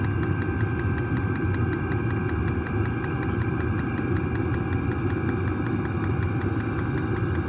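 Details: New diesel heater just installed in a Jayco Freedom caravan, heard from outside near the exhaust after start-up: low steady combustion rumble with an even fuel-pump tick about four times a second; normal running.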